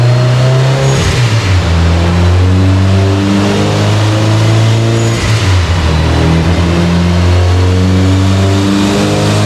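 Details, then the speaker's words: Subaru Forester STI build, stock longblock, Precision 6870 rotated turbo, on dyno after replacing a sensor so it free revs: repeated full-throttle sweeps climb smoothly with no stumble, misfire or cut-out; clean pull making 529 (422), warmer day, slightly less power. "we had really clean pole made 529 422"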